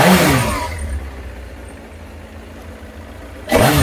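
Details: Kawasaki ZX9R four-cylinder after carb clean and spark plug inspection, on choke: two crisp rev blips with settled idle between, picks up cleanly; previously coughed and spluttered when revved cold, now carbs fuelling properly.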